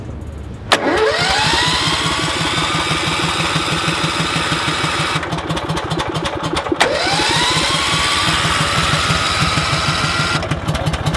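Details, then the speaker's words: Billy Goat debris loader with an 18 engine, cold start on gas; catches, runs rough a few seconds, then dies, restart the same; owner thinks it was flooded with fuel: hard starting, stalling after start. "i think honestly we just killed it with fuel we flooded it uh and that's not good for a big engine block like this the 18."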